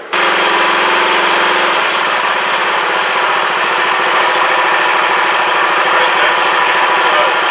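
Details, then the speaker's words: Riding lawn mower after repairing a broken deck pulley and refitting the belts, test run outside: smooth even engine drone, no knocking, squealing or rattling from the deck, earlier funny noise gone, little vibration. "all right so far so good okay guys let's going to wrap this one up I call that a success I don't I don't think it's vibrating too bad it feels pretty good I I don't hear that funny noise that I was hearing before"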